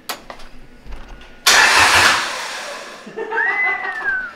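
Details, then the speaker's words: BMW E30 with a Toyota Beams engine swap on an AK kit harness, no driveshaft fitted, first crank with some plugs not yet connected: sharp starter burst, then a fading whirr as the engine turns over without firing. Cranking sounds healthy; no start. "I know yeah buddy it cranks let's go"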